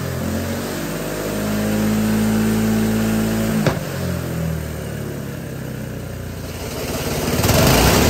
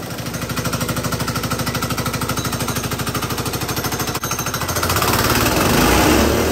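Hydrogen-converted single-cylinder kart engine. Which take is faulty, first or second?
second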